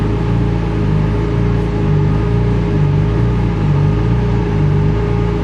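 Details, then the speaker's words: Turbo or supercharged car on a dyno with fans on, camera mounted inside: steady drone rising and falling about once a second as the car surges before settling, boost gauge showing it; engine surging, not holding speed. "the car is surging a bit here, so we can get it to stop surging."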